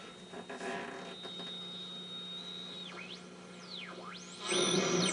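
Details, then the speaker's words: Mid-1950s Eico 324 signal generator under restoration, B band (400–1200), output high, level max, probe lying near AM radio: whistle sweeps down through a null and back up as dial rocks; working generator carrier beating. "that whistling is the RF generator. And as you rock the dial back and forth, you hear whistling, then a bit of a null, then more whistling."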